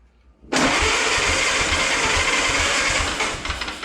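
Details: 1929 Ford Model A chassis, supposedly a good runner, first start attempt with fuel in the carburetor: starter churns about three beats a second but the engine never fires; spark from the distributor suspected weak, unconfirmed.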